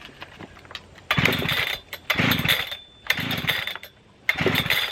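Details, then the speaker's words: Brand-new Husqvarna 3120 XP chainsaw, repeated pull-starts after it burped: four raspy cranking bursts about a second apart, never catching; owner thinks it flooded; cranks but will not start. "feel like at this point i just flooded out so it just doesn't want to start i think it's flooded out"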